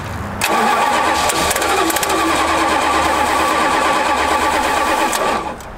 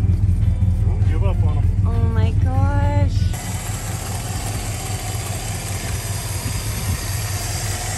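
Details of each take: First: Plymouth Fury that sat for five years, cranked: starter grinds steadily about five seconds with only faint catches, never fires; spark present, flooded or out of gas unsure, suspected fuel starvation. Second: Plymouth Fury that sat for five years, just started: after a shout, smooth, even low idle with no ticking, knocking or stumbling; idles like brand new.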